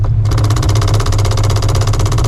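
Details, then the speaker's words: Procharged, cammed 600 hp 5.4L 2V New Edge Mustang GT at idle: rapid even metallic hammering over low rumble as a piece of the clutch setup jackhammers; owner says this is causing the noise. "it's like jackhammering that piece right there."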